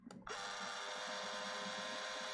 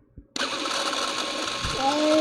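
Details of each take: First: Power zoom motor of a late Super 8 sound camera: thin, steady high-pitched whir that stops briefly and restarts cleanly, with slight hiss and a squeaky knob; strong power zoom, healthy motor. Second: Late-model Super 8 sound movie camera running: harsh scratchy whir with a thin squeal climbing in pitch near the end, a dry noisy mechanism needing lubrication.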